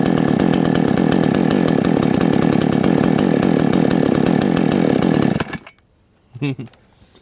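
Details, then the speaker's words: Salem Master chainsaw, carb low-speed jet adjusted: runs with a rough, burbling, slightly uneven note then shuts off, smelling strongly; mixture set way too rich. "yeah boy i got a way off oh she stinks yeah yeah that's why i'm running way too rich oh buddy okay way too rich"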